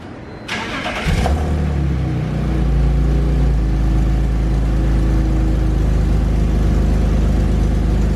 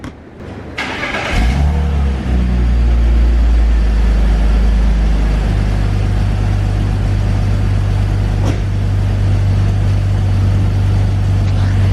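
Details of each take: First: 2001 BMW E46 330i wagon at idle after fitting aftermarket catless headers that fit poorly and hit the transmission; engine cranks, catches and idles with a loud raspy ticking puff from a huge exhaust leak at the header flange. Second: 2001 BMW E46 330i wagon after replacing clogged, broken OEM headers/cats with aftermarket catless headers and new manifold gaskets: engine starts and settles into a steady deep drone, no rattle or exhaust leaks.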